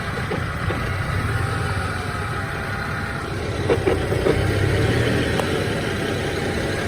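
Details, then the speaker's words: BMW E90 manual, warmed up, with misfires and rough idle: irregular metallic clacking at idle only with clutch pedal released, gone with clutch in, sometimes gone with A/C on; throwout bearing suggested by others, cause unconfirmed. "And so it doesn't make the noise when the clutch is in. It still has the funny idle, but it doesn't make that clacking noise when the clutch is engaged. So here I go, I let it out. You can hear it immediately. It's intermittent though, so there it goes."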